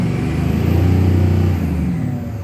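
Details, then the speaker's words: 2006 Ford F250 Super Duty 6.0 Power Stroke diesel, after 5.5 hours on block heater, started two minutes earlier, throttle floored with turbo whistle over a deep drone that surges and sags unevenly; running rough, same unresolved hard-start/rough-running problem. "so oh here we go running rough again so i can tell you right now it's the same problem that i had that i'm having"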